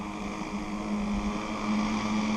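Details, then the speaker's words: Zenoah 30cc two-stroke RC boat engine after carburettor needle tuning: steady, buzzy idle at even pitch with no hunting or stalling, idle acceptable. "I think we'll leave it as it is. Now, that's idle."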